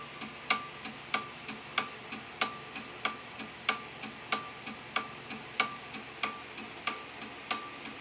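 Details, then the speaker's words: Simplex 2001 fire alarm panel with march time card, working after two resistors on the signal card were cut; strobe at 1575 candela: crisp relay clicks about ninety per minute, each with short ring-off, normal march-time pulsing of the signal circuits. "I love the sound of those relays."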